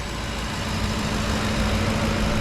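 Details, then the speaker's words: 2010 Ford F-150 5.4 V8, dealer said needed new engine, first start after plugs and coils refitted: smooth even idle, steady low hum, no ticking or knocking, running fine. "seems to be running pretty good"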